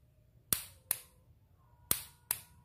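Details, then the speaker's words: Motorcycle starter relay (round type) bench-tested with battery and a test bulb standing in for the starter motor: four crisp clicks in on-off pairs, bulb lights, relay confirmed still good. "nyala ya Mas Bro ya. Jadi dipastikan dia masih bagus."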